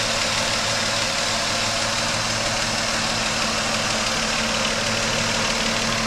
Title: Engine knocking and a hissing sound